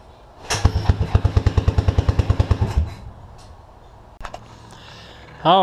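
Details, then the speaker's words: Suzuki King Quad 300 single-cylinder carbureted ATV, tank lower than carb: it barks about two seconds at roughly three firings a second, then quits abruptly as the bowl runs dry; fuel starvation because the fuel pump cover was installed wrong, so it couldn't suck fuel. "I figured out that they had to cover the fuel pump on wrong which won't allow it to to suck Fuel"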